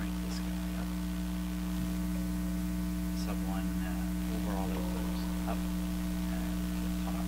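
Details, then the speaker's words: Traynor 8/201 analog mixer under test, microphone on channel 1, sub 1 and master output up: steady low electrical hum under faint background noise; sounds like a regular sound system plus a hum, owner suspects the mixer, source not confirmed. "To me, that sounds pretty similar to my regular sound system, plus a hum."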